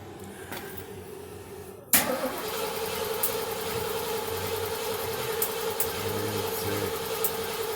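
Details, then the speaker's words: 1977 Mercury Marquis, Ford 400M V8, compression test on third cylinder during tune-up with spark plugs out: steady, even cranking rhythm, no dropouts; reading matches the previous cylinders at around 118-120 psi, consistent good compression. "Good. What does it say? Just like the last one. Oh. Not bad."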